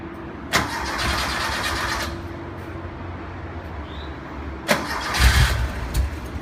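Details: 1973 Porsche 914 2.0 after an oil change, valve adjustment and new spark plugs: two long cranking bursts with no catch. Hard starting, cause unclear.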